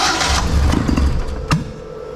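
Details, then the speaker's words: Nissan Sunny truck (Datsun 1200) with Haltech EFI conversion on an essentially untuned base program: brief cranking, then an uneven, lumpy chug with a sharp pop; starts rough, needs more tuning. "I don't know you tell me it's a start bu needs a little bit more"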